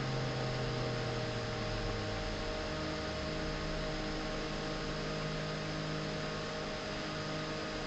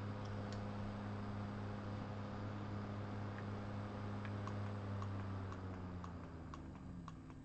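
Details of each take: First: Original unmodified G5 CPU fan running at 3,000 rpm: a steady, loud whirring hum with a constant tone and airy hiss, described as pretty intrusive. Loud fan noise. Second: G5 CPU fan converted to a Zalman motor, running at 2,000 rpm for comparison with the original: a low, steady hum with faint soft ticking, much quieter than the original mechanism. Normal running.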